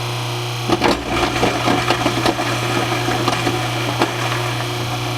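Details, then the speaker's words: Newly installed InSinkErator Evolution Select Plus garbage disposal, replacing a cracked, leaking unit, is grinding apple pieces. A steady motor hum with irregular chopping clatter holds even speed under load, only slightly quieter than the old unit; normal operation. "I wouldn't say that it is less noisy, maybe just a little bit."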